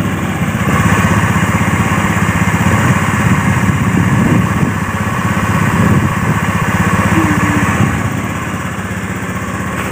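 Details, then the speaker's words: Honda Beat FI scooter after repairing a seized piston (piston and pin sanded), run-in for several minutes: steady small single-cylinder putter at idle, even beat, no knocks or rattles; normal idle. "Kita nyalakan sampai sekiranya beberapa menit, sampai pas di bagian piston dan blok piston yang sudah kita lemer ya, supaya lancar ya."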